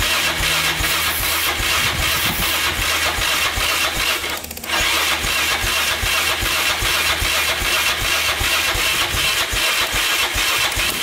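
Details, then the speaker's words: 2002 Yamaha Raptor 660 after timing chain and bent valve replacement, choked: starter grinds ten seconds at lazy, uneven two to three strokes a second, never fires; charger too weak to spin it. "all right so i ended up being the uh the charger wasn't turning over the engine fast enough to start it so i hooked up my portable charger over here that red one right there and that did the trick"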